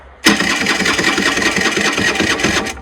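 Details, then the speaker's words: 2008 Rieju Matrix 50cc water-cooled AM6 two-stroke at 6,800 km, before repair: the starter buzzes steadily for about 2.5 seconds with no firing. Cranks but won't fire; a faulty spark plug was later found to be the cause. "So, cellar stated it cranks but doesn't fire."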